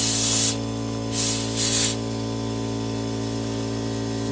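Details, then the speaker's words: New Holland skid steer tire leaking air around the rim, inflated with thick green sealer and slime: sharp hissing bursts of air escaping past the bead over a steady low compressor hum as the sealant starts sealing. "I hear the air escaping somewhere. Okay, yeah, I hear the glue is thick."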